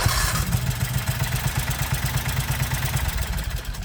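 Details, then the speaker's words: 1969 Renault R10 with a 670cc Predator twin, starter cranking: slow, labored chugging about three beats a second, straining on each compression stroke; hard cranking on compression, starter fine once spinning. "so yeah the engine does have a tough time cranking over if it's on its compression stroke but once the engine starts spinning the starter seems fine"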